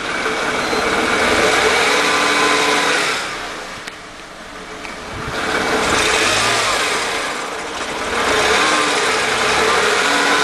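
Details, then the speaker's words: 1998 Mercedes E320 with random misfires on all cylinders despite new plugs, swapped coils and a cleaned MAF. Tinny rattle like marbles in a can on acceleration; owner suspects plugged catalytic converters, unconfirmed. "or it could be the cats because when you accelerate well if I step on the gas you can hear uh sounds like marbles in a tin can here"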